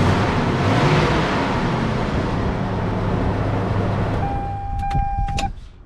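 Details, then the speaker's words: 1996 Toyota Tacoma with code P0304 (cylinder 4 misfire, arcing number 4 plug wire), started after replacing all six spark plugs and wires: even, smooth idle with no stumble or miss, then short electronic chimes; normal idle. "okay now we're gonna start up the vehicle so i'm gonna be starting up the vehicle that sounds really good"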